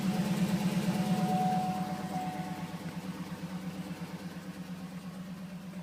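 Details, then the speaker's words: Cadillac Escalade V8 started at an auction, idling unevenly with a loping, irregular pulse near three beats a second that fades slightly; runs rough, cause unknown; rough idle. "what the wow somebody was pissed doesn't run all that great I can tell you that"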